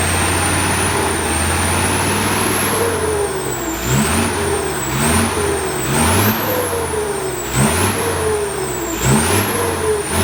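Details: Diesel just fitted with a new turbo (same brand) after the old one's impeller broke, exhaust reinstalled: clean high whistle rises and falls with each throttle blip, no grinding or rattle; healthy turbo, sweeter than before.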